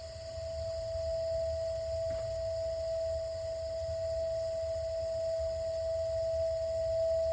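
A steady pure whistling hum holds one pitch throughout over a low rumble; the heater is singing, cause not clear.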